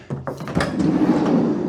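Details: VW Caddy van sliding door after replacing the broken lower roller, which had made the door stiff and rattly. Now one short, even roll ends in a soft stop with no rattle or catches: smooth sliding door operation.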